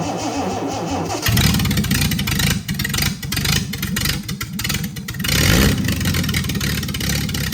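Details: Freshly rebuilt Triumph TR6 six, head shaved 60 thou, about 8.4–8.5:1 compression, started cold on chokes with carbs not yet adjusted; cranks briefly, then runs lumpy and uneven with surging revs. Runs well once warm with chokes off.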